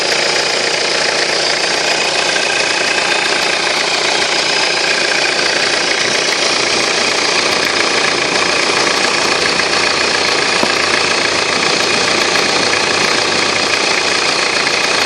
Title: Excessive turbo whine